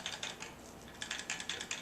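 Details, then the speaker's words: Brand-new Canon Vixia HF S200 camcorder shaken by hand: quick light plastic clicks in short bursts; owner believes the lens cover rattles; loose internal rattle. "of rattle with the I believe that's what thief yeah that's with the lens cover a little bit of a rattle to it"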